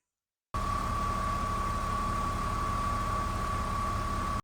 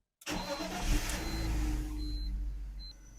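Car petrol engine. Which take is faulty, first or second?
first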